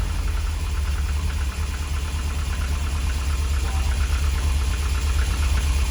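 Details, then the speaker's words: Lotus Elite revived after ten years in a barn, after carb chamber cleaning and fresh fuel. Still cold, with great pressure, charging the battery and a working fuel gauge. A low, steady, even idle burble with no knocking or misfire. "Pressure's great. It's charging the battery. Car still hasn't warmed up, and even the fuel gauge is working."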